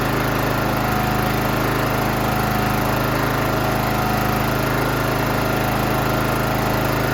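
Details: John Deere GT275 Kawasaki engine after replacing a broken valve spring and fitting a new dry valve cover gasket: steady, even drone with no missing or tapping. Runs clean.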